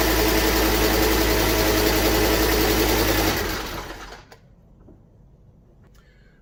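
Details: Fiat Coupe after restoration, belts tensioned and top cover refitted: engine catches and runs with a smooth, even beat for about three seconds, then is switched off, with no radiator fitted yet; no knocks or rattles, normal start and run.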